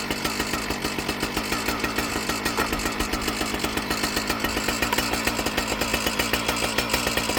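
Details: Husqvarna 455 Rancher chainsaw, previously bogging, after correcting misrouted purge and fuel lines that flooded the carburetor: crisp, fast two-stroke buzz with steady, even firing pulses and no bogging or stumbling; runs cleanly.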